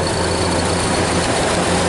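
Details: 1930 Ford Model A, which previously cranked sluggishly, now on an 8-volt battery with heavy-duty cables and a replaced fuel valve. It turns over fast with a stronger spark, starts promptly, and runs with a loud, even, low rumble with no misses or knocks.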